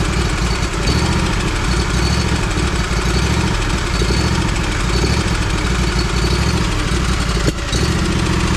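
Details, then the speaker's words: Lawn mower that ran rough, just after fuel filter replacement: steady low putter, no stumbling or surging, running cleanly; new fuel filter cleared up the problem. "guess it likes the new filter. That's crazy. I'm glad I got that on camera. That was sick. Cleared right up."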